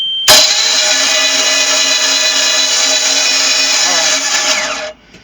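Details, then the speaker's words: 4.3 boat engine with water found in three cylinders, starter failing to turn it over: spins quickly and evenly on the starter with spark plugs out, no binding; hydrolocked with plugs in, internal water issue. "so this side of the engine is uh actually hydro locking that is causing the problem with the starters"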